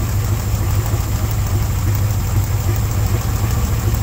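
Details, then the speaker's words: 1977 Ford F600 truck after sitting about five years, engine size unknown: deep, steady idle with slightly uneven low pulses and no clean rhythm, running on fuel from the tank that is pretty much all water; to be drained at the tank line. "tell you what I'm gonna have to do we'll just uh take a line loose at the tank drain it out because that is pretty much all water a little bit of gas but it's pretty much all water"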